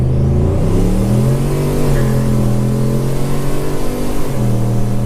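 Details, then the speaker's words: Turbocharged 2012 Chevy Caprice, E38 tuned with HP Tuners, full-throttle launch from a dead stop in low: pulls hard, squawks the tires, revs climb then drop cleanly into second with no flare; shifting as it should after the tune. "Oh, dude, it is way fucking better. Oh yeah. Dude, it squawked the tires It did. going into second there, and it would just fucking shift."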